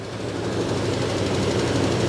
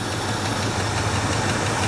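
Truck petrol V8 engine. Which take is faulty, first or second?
first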